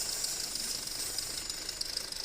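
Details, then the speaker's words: 2008 Audi A4 2.0T at idle, codes P119A and P2279, adding 25% fuel: loud hissing whistle with fluttering buzz at oil filler; failed PCV diaphragm built into the valve cover. "This thing has a bad valve cover. So there we go. It's going to be the diaphragm that's built into this cover."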